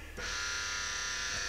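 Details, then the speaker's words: VW Lupo, second start after 1 year 3 months standing, ignition on: a steady high electric buzz holds evenly as the fuel pump primes and builds pressure normally. "Pumpen pumper. Tryk på."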